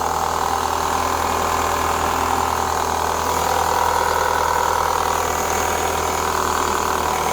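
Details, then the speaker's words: 2004 Renault Clio 182, sat unused for years, first start at idle with a tiny rev: light, fast chattering rattle from the top end, about four per second, not bottom-end knock. "there's a little noise at the top give it a tiny Rev that don't sound too bad I mean if it was like big ends crank anything like that it would be a lot more rattly that sounds all right to me there's something up the top here"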